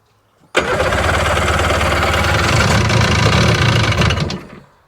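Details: 2001 Sea-Doo GTX RFI 787 two-stroke, throttle position sensor on, idle turned down after it had been idling too high: catches and settles into an even, fairly quick idle with a steady low beat. Normal idle.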